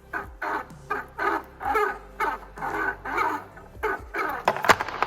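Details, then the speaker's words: Pontiac Fiero stock radiator fan spun by hand before upgrade replacement: repeated sharp squeaky chirps, about two a second, slowing as it coasts; worn radiator fan motor. "And yeah, the main reason I did this was because this fan was actually going bad."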